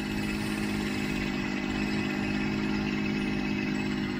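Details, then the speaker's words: 1992 Mercedes 600SEL V12 at cold idle after the exhaust repair: smooth even idle with a steady whirring hum from the secondary air pump running during warm-up. The air sensor is loose and the fan blows extra air into it. "let's just wait for the air pump to shut"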